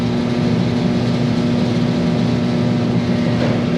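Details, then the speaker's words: Free, scrap-bound diesel torpedo shop heater on first firing after repair, thermostat on: steady roar with even fan drone, no sputtering or surging, pumping heat; running cleanly. "Wow, that thing is pumping heat."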